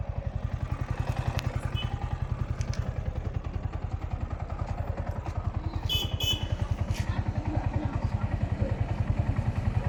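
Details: Yamaha R15 V4 after its timing chain tensioner was changed to cure engine noise. Crisp, evenly spaced firing pulses at a steady idle with no clatter or rattle. Smooth, healthy single.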